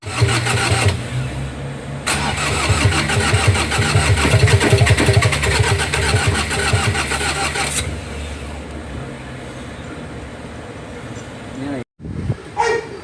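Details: 2018 Ford Ranger 2.2 diesel: starter spins the engine over at an even pace for several seconds but it never fires and catches; crank, no-start.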